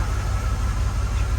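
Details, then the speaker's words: LS V8 swapped into a Unimog 404, fired up to find the misfiring cylinder; uneven lumpy idle with a regular stumble, and feeling the exhaust shows the back cylinder cold while others are hot. "that one's hot that one's hot you feel that misfire yeah I think these are all hot evenly back one's coldish yeah the back one's cold second from the back is"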